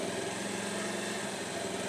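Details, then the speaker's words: Bajaj Pulsar after replacing a faulty 4-pin relay that was cutting power when moved: single-cylinder engine settles into a quick, even idle with steady firing and no misses or stumbles. "బండి అయితే start అయింది. ఒకసారి దీన్ని అటు ఇటు కదిలించండి, ఎంచండి, వైర్లు కదిలింది నీట్గా."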